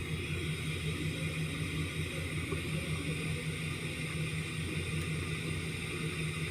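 Uneven idle with a stumbling, irregular beat about every third of a second; one cylinder misfiring from a collapsed lifter and worn cam lobe.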